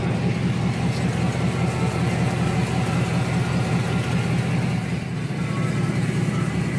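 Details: 2004 Chevy Silverado 5.3L LS V8, first cold start after a cam swap (218/227 duration, .526/.524 lift, 109/115 LSA) with accessories not yet connected: deep, steady, even lumpy chop of about 2.5 pulses a second. Normal cammed idle.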